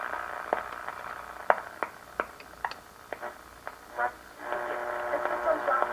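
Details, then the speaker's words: 1937 Grunow tube radio after repair of low 6A7 converter and IF amplifier screen-grid voltage (5 V, needed about 50 V): tuning across shortwave at night brings bursts of stations between crackles, then steady strong audio; normal reception. "i thought we then run a scan through later at night and see what we can get here in shortwave"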